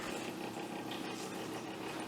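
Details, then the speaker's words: Amiga 1000 fan, with a faint, rough, buzzing whir running constantly at low level. Owner suspects its ball bearings. "actually the fan isn't it's definitely got some it's that yeah i think it's definitely got a problem with the ball bearings"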